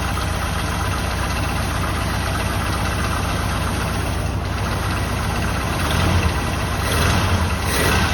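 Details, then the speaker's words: 1984 Jeep Wagoneer, just revived: lumpy, uneven low idle with irregular thumping and surges; rough idle, cause unknown; owner thinks a worn belt on loose alternator belt and rough pulleys may be heard. "oh yeah it's not the best running thing in the world but we can we'll figure out what's going on with it"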